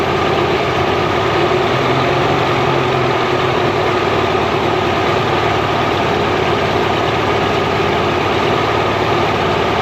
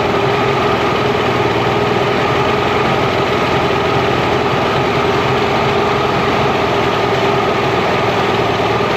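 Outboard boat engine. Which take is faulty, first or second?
first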